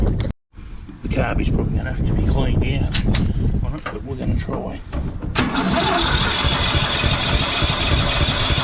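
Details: Briggs & Stratton ride-on mower engine on starting spray: several seconds of labored cranking, then a ragged uneven run, struggling to stay smooth; owner suspects the carburetor needs cleaning, unconfirmed.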